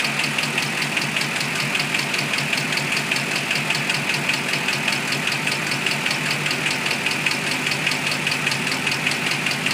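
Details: 2006 Mustang GT V8 idling: quick steady metallic ticking, located by stethoscope on passenger side; failed roller cam follower bearings wore a passenger-side cam lobe almost round; cams, followers and timing components replaced.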